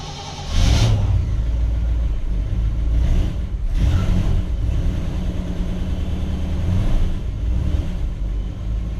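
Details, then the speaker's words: 1959 Chevrolet Bel Air with a 348 V8, first start since October 2017, choke set after cranking for oil pressure: it catches quickly, takes a couple of throttle blips, then settles to a smooth, steady rumble; a normal cold start. "Alright, we got oil pressure and it fired there, so it's probably going to start."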